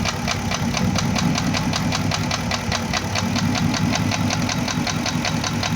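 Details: Porsche Cayenne Turbo first generation (955) with an engine knock: sharp quick metallic knocking over a steady idle that doesn't fade when coil connectors are unplugged to cut cylinders; suspected scored cylinder bores, likely cylinders 5 and 6.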